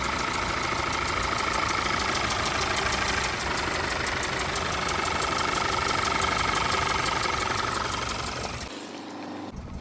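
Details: Audi/VW 2.0T at idle: rough, uneven running with a recurring stumble and knock, a misfire caused by a fuel injector stuck open and dumping fuel.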